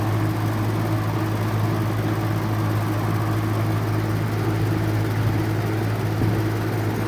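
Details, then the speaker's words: Vintage 1950s–60s FASCO 20-inch two-speed box fan on high: steady low motor hum with buzzy, fluttering edge as the top housing vibrates and rattles the wire grille; runs smooth and quiet on low. "It rattles a lot on high. That's the this top part like vibrates a lot and it vibrates the grill."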